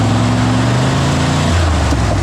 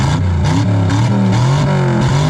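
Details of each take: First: 1963 Chevy Impala wagon V8, long-parked, running on open headers after cherry bomb removed: lazy, flat rev that drops back without crispness; ignition timing too retarded, later set to about 40 degrees total. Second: 1963 Chevy Impala wagon V8, after disconnecting transmission linkage that was causing a problem: crisp blips rising and falling cleanly without hesitation; normal revving.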